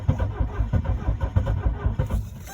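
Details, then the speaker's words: 1982 Mercedes 240D W123 diesel, 237,000 miles, sat at least 3 years. The glow plug light stays on unusually long, and the starter cranks steadily with stronger compression pulses, sounding closer to starting, but it does not catch. "oh it's sounding better it's definitely sounding more like it wants to"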